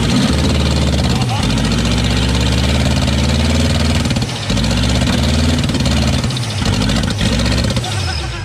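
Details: Chevy K2500 TBI 350 V8 that sat 10+ years, running on gas sprayed into the throttle body: loud, uneven run that surges and stumbles with ragged firing and no steady idle; smoking, with flames from one header.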